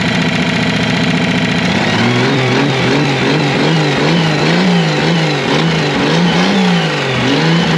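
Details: Revived Chevy inline six (230 or 250, uncertain) with formerly stuck valves and rusted cylinders: the revs hunt up and down with a wavering, ragged note; rough running, and the engine floats the valves; it later may have run out of gas.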